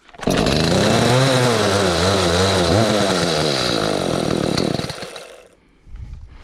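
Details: Echo CS310 chainsaw that would not start, idle or cut, just after a carburetor replacement and a choke start: it fires, but revs hunt up and down. It needs carburetor tuning, after which it ran and cut fine.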